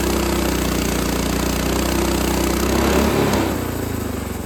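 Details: Frontier OS18 sawmill's Lifan 7hp GX200-clone engine after head gasket repair (loose bolt, zero compression): even single-cylinder beat holds speed cutting very dry, hard ash, easing off as the cut ends; no misses, normal under load.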